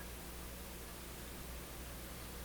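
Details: Polish Goplana tube radio being repaired after a no-output fault, heard after a tube swap: even, steady static hiss with a low hum underneath and no crackle or dropouts; the receiver sounds healthy with the good tube.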